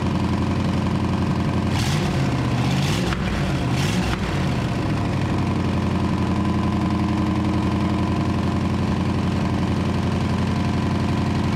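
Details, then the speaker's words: 1934 Ford chassis with 1960s Buick Nailhead V8, first run in probably 40 years, fuel poured in because the accelerator pump isn't working: loud, lumpy open-exhaust idle, steady after the restart, with a few brief blips. Normal running. "now let's see what happens slingshot engage well she runs you better open some doors though"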